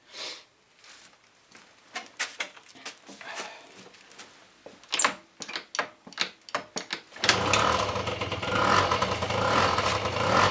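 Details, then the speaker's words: Honda Dio AF-24 (Dio 27) two-stroke scooter engine, first start after full rebuild to fix a knock, run at low revs to bed in crankshaft seals: fires and runs steady, even and soft with no extra noises; knock apparently cured. "еще раз за видео предатель мягко работает без каких-либо других лишних звуков я думаю вас лечит прошел сегодня четко работает"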